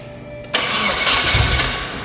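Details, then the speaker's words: Nissan 240SX with a KA24DET on a first start after distributor timing adjustment: a short crank, then it fires on attempt 14 with a loud rushing roar, not yet settled. "Oh shit, that was close. It started Only on 14 attempts."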